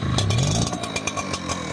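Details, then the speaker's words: Brand-new Echo 9010 backpack blower, not on choke, run on Echo Red Armor oil, idles unevenly with irregular pops, sagging as if about to cut out; owner suspects it is defective. "Y'all hear how this blower sound? About ready to cut off. It's brand [ __ ] new."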